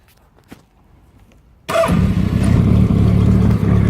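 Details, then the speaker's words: Kawasaki Z550 motorcycle on choke: starter whirrs briefly, the engine catches at once and settles into an even, steady low idle with no clutch-casing rattle; healthy start. "As you can hear it, look over nice. Sounds really nice as well. Give it a little red. You can hear. Look, there's no rattles from the clutch casing or anything."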